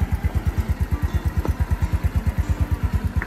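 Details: Yamaha Mio Nouvo scooter after restoration, freshly started with new oil and cover not yet fitted: even, steady idle thump about three beats a second with no knocks or rattles; engine runs smooth.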